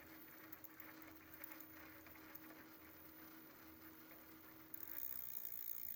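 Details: Prophete Entdecker e8.6 e-bike, Bafang BFSWX02 250W 36V geared planetary rear hub motor, about 1000 km after 5 months (3 in use), daily 4 km with 80 m climbs: quiet hum, steady mid-pitched whine and faint irregular ticking from the hub.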